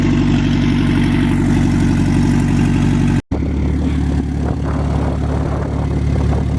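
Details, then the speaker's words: Honda S2000 AP1, warmed up on first drive; steady petrol idle with a faint light tick about four a second from the top of the engine; valves suspected, timing chain tensioner possible, not certain. "Alright, you guys. So I think that ticking noise is there. You can hear it. I honestly might be aiming towards the valve. I'm not 100% sure, but it sounds like the valves."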